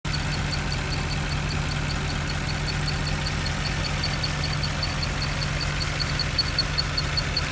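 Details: Mercedes E63 at steady idle with a low droning hum and a faint high ticking on top; abnormal noise that appears to come from one of the fans.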